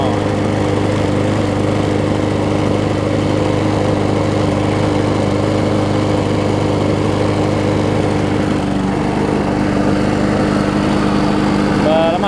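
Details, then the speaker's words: John Deere JS63C mower: uneven, chuffing, weird exhaust beat at steady throttle, rich-sounding and not crisp. The owner notes richness may not be the carburetor. "the way it's running it almost sound like it was running a little rich which may not always be the carburetors case"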